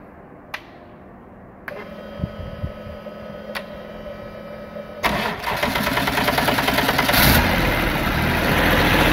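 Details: D-Motor LF39 six-cylinder 125 hp engine on a demo test stand: a few sharp clicks at start, then it catches and settles into an even steady roar with no knocks or misses; healthy.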